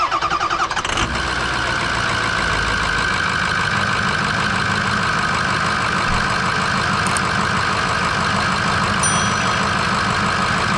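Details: Ford V8 6.0 Powerstroke diesel after replacing two idler pulleys, belt tensioner and accessory belt to cure a squeak/grind: quick crank catches after a second, then steady even idle with no squeal or chirp from the belt drive.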